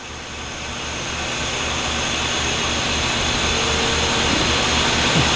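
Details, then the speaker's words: Sitek 2300 spin rinse dryer with 4-pole insert rotor and loaded cassette, briefly at 500 rpm then ramping to 1800 rpm dry: smooth whir climbing in pitch and loudness, no rubbing, wobble or knocking; normal healthy ramp-up. "okay well again we're gonna go to 500 very quickly we're there just for a few seconds while that's smooth and we're gonna go to 1800 a second and here we go dry one ramp"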